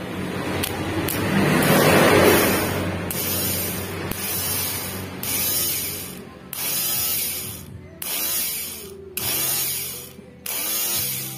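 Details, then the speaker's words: Three-wheeler cargo motorcycle starter motor, once judged burned out, after disassembly and reassembly with slight end play, bench-tested against ground: eight short clean whirring spin-ups and wind-downs, no grinding; starter spins freely, normal. "sip bosku bisa ini Bosku ya gak jadi kebakar ini ya"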